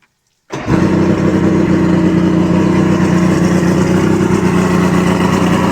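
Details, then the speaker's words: 1986 Mercury 90hp outboard on muffs after water pump replacement; starts at once and settles into a steady, even, smooth idle with no knocks or misses; running well. "She's running really, really good, folks. We'll fire it up one more time here."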